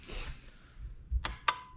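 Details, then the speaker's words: Suzuki GSX-S1000 nitrous install, ignition on, toggle on nitrous, horn button pressed, no nitrous in the bottle: two sharp crisp clicks as the solenoids open; both solenoids working and getting the signal. "So that's the solenoid, and you can hear it. So that's the solenoid going on, and then I have the second one on the perch."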